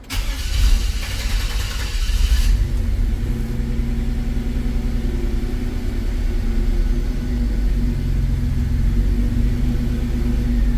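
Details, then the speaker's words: 1954 GMC COE build, restarted in learning mode after the IAC was reinstalled: it cranks briefly, catches, then hunts and surges before settling into a rough, uneven idle; hard starting persists, cause not confirmed. "turn it on the on position let it boot let's see I'm still having an issue with the start"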